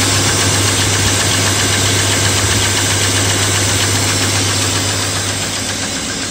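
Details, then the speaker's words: BMW E34 M50 on Castrol 5W-40, cold start in the morning: steady idle with a light fast tick about four per second that fades as it warms; hydraulic lifter tick, owner considers thinner 0W-20 oil. "конечно чуть чуть огорчило меня эта ситуация стук гидрокомпенсаторов есть чуть-чуть"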